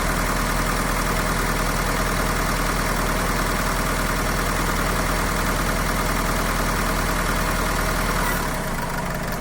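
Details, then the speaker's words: Mahindra diesel at idle with knocking and missing: uneven loping beat, one cylinder clearly missing. Unplugging injector sockets while running showed the number 4 injector not working, matching the number 4 fault code; dead injector misfire. "तो हमारा चार number injector जो है वह काम नहीं कर रहा है"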